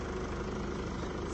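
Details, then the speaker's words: 2017 Mercedes E-Class OM654 diesel, after repair of knocking caused by worn rocker arms: smooth, even idle with a steady low beat and no knocking or tapping; engine sounds healthy. "okay so we've got the second vehicle up and running as well sounds lovely no unusual strange knocking noises"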